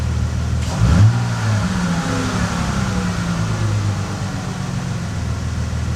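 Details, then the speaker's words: 2005 Bentley Continental GT with ECU plugged back in after swap test: revs blipped once, then sag back down very slowly instead of dropping straight to idle; a vacuum leak is suspected, not confirmed. "There's got to be there's got to be a leak, man. because it's coming down from the wrench very very slowly."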